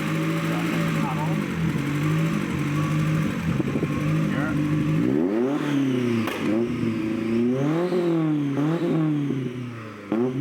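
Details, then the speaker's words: Toyota Corolla 2E petrol four with a push-button ignition cut/anti-lag wired through a relay: revs climb and fall in quick blips with sharp cracks as the ignition cuts; it needs slight tuning and puffs black smoke. "So fully ignition cut, and then if I pull that, it's gonna cut it. So it'll be open, normal, running, press it, it cuts it."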